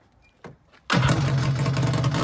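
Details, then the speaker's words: Kawasaki SC jet ski with swapped-in 750SS two-stroke and a cooker pipe fitted: a couple of starter chirps, then it catches and runs with a loud, raspy, crackling bark from the open pipe; loud aftermarket exhaust. "damn that's loud"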